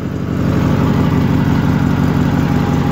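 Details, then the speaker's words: Steady, even low thumping from a small single engine on an old garden tractor at constant speed, no misses; best it has run since bought, despite old discoloured fuel and plugs and points still to be serviced. "that's pretty good actually this is new to me new to you guys so that's the best it's ran since I've owned it"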